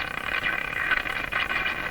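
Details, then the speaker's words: Canadian Westinghouse Model 684 tube radio on the broadcast band at full volume and voltage, after its last three wax capacitors were replaced and with the second IF transformer jumped: steady heterodyne squeals, whistles and motorboating over hiss. The cause is suspected, not confirmed. "Lots of squealy sounds. So now that sound is an effect coming from the radio itself."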